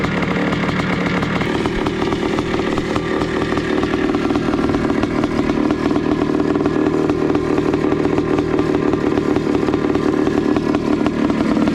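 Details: 1982 Suzuki RM465 two-stroke after pressure test, leak fixes, exhaust welding and reassembly: fast, even two-stroke crackle holding steady with no misfire, knock or hunting; engine running healthy.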